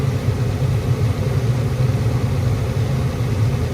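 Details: Attic gas furnace after repair of the only-one-burner-lighting fault, with gas pressure adjusted to just under the 3.5 spec and cycled repeatedly. A steady, even low roar with no puffing, surges or delayed light-off; all burners burning normally.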